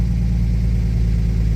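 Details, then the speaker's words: 1961 Studebaker Lark that wouldn't start, with smoke seen under the hood, suspected flooded, low fuel on an incline, started without pumping: steady, even low rumble at idle with no knocks, misses or stumbles; runs fine. "Am I going to crank I'm not going to pump it or anything. Sounds okay to me."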